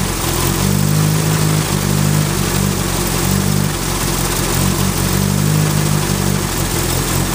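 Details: Turbo Ford Focus with a bad idle even after a new coil pack, and it seems to miss under boost. Owner suspects the plug wires or the cylinder 2 fuel injector. The low idle swells and sags about every second; rough idle.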